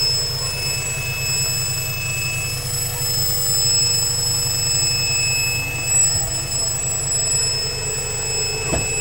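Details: Honda B18C6 B-series engine running: several thin steady high-pitched whines constant over a low quiet engine rumble; source undetermined; engine whine.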